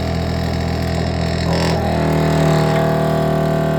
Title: Loud Noise When Turning On The Faucet